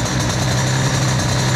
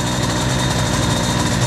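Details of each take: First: 2Fast 70 two-stroke moped engine with new cylinder and Boost crankcases, during break-in, cold start at about 15 degrees without choke: quiet, steady buzz with even beat, no knocks or rattles; clean normal idle, quiet enough to talk over. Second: Cold 2Fast 70 two-stroke moped, brand-new cylinder with Boost crankcases, during break-in warm-up: thin, uneven, ragged idle that barely wants to fire, running lean at idle.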